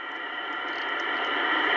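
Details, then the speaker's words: Kenwood TS-820S with no antenna, after cleaning its Molex plugs, tuned near 2.318 MHz: even hiss rising slightly with faint ticks of band activity, no crackle or dropouts. Normal receiver band noise. "like I say tis no intent on it but I'm getting activity"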